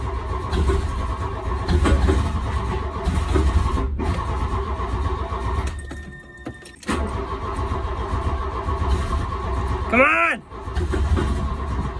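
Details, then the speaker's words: 1983 VW MK1 GTI that sat 20 years in Arizona, injectors cleaned in Sea Foam: starter churns in long steady bursts and the engine stumbles as if about to catch, but never fires; crank, no start. "I'm so close to starting here but I still couldn't get the kick over ah son of a gun"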